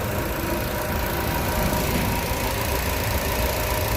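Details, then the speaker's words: Car with propane system idling on gas after four parts were refitted and tightened: steady, even, smooth low drone, no shake or misfire. "Mashinamiz gazda o'tadi hozir. Hech qanaqa vibratsiya yo'q mashinada. Joy-joyda ishlayapti."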